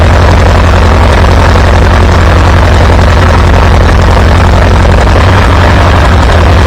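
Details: Antique Farmall B tractor after replacing weak ignition coil: deep even chugging about three to four beats a second, no misses or stumbles; good oil pressure, running smooth and healthy.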